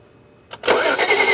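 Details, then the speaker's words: 2011 BMW 335i crank-no-start with DTCs 2DD6 and 2DCF. Starter spins the engine evenly and the cam chain is seen turning, but it never catches. Feels like no compression, suspected, not confirmed. Cranks but no start. "Yeah. Crank it again. It feels like this thing has got no compression."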